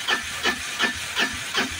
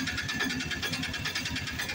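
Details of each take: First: Piaggio BS4 auto-rickshaw cranking with the self-starter: steady whooshing beats about three a second go on and on without catching; long-crank no-start traced to incorrect tappet (valve clearance) setting. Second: Piaggio BS4 auto-rickshaw engine after tappet adjustment that cured long cranking before starting: starts on one crank and idles with a quick steady putter, even regular firing pulses, no misses or knocks.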